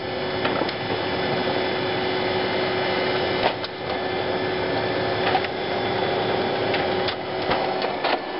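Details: HP LaserJet 4000-series printer running a test page after seating the separation roller clutch: steady mechanical whirr with faint even tone and light regular clicks as the page feeds; normal print cycle, before the error 41.5 clutch-dislodged demonstration.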